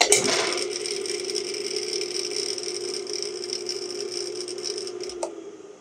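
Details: Rebuilt Dayton single-phase lathe motor with new bearings and start capacitor: smooth, even hum at a constant pitch, then it coasts down with a soft click from the centrifugal start switch; a healthy motor.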